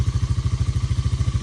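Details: Early-1990s Honda FourTrax TRX300 ATV, auction machine revived with new carburetor and battery: deep, evenly spaced thumps at steady idle, no stumbles or mechanical clatter; single running smoothly.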